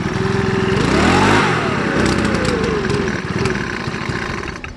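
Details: Makita BHX2500 four-stroke (MM4) blower, 12 months old, about 5 hours use, fresh fuel; revs climb then sag unevenly and fall toward a stall, about 20% of the time after running fine: bogging and stalling on acceleration.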